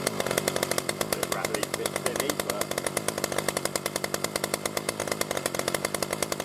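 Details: New B&Q 25cc petrol two-stroke strimmer after 3–4 primer pumps, getting fuel through: a rapid, even buzzing beat of about eight pulses a second, holding steady with no misses. Normal running.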